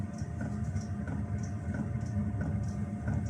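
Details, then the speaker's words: Cheap Chinese diesel heater after rebuild: light ticking puffs about every two-thirds of a second over fan hum, fired then immediately stopped; owner suspects control board or fuel pump, earlier E01 error. "look at that fired up and then immediately stopped"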